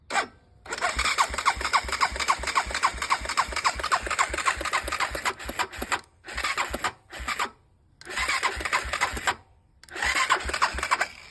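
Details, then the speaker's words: 2006 Honda TRX 400EX, starting fluid sprayed in carburetor: starter cranks in bursts, even compression pulses about four a second, never fires, struggles with throttle; suspected valves too tight or loose, found to be incorrect cam timing. "As you can see, it doesn't pop over anything. And as soon as you give it throttle, it starts to act like it doesn't have enough power to turn over, which is telling me that the valves are either too tight or too loose, or there's something to do with the timing."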